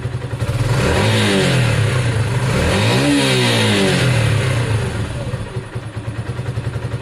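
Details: Sinnis SC125 single revved in blips: pitch climbs and drops unevenly, stumbling as the throttle opens. Hesitation suspected to be the old carb, not confirmed; a new CG performance carb is to replace it.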